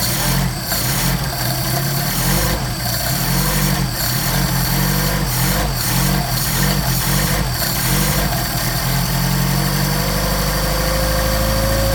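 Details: Mercedes 190SL with rebuilt Solex carburetors (39,000 miles; new throttle shafts, trued mating surfaces): steady, even cold idle on choke with a slightly busy note and no knocks or misses; normal cold idle before warm-up and tuning.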